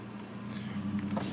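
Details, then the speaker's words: 2004 Chevrolet Trailblazer at about 216,000 miles, engine warm: faint steady motor hum and slight whir as both auto-down power windows travel down together, smooth and even with no grinding; windows working normally. "also does have a dual Auto windows and you see they both go down the same time"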